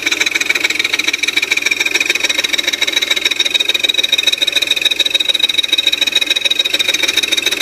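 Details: 2002 Audi A4 3.0 V6: fast, very regular high-pitched ticking, about three per second, over a thin idle. Began after timing reset and new timing belt following a front-end accident; absent on cold start. Cause unconfirmed.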